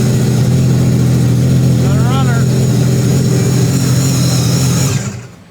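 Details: Mini jetboat on first start-up after an ECU pin 17 code was cleared and the fuel pump primed: engine runs steady at fast idle with an even drone, a brief chirp midway, then shuts off cleanly; healthy.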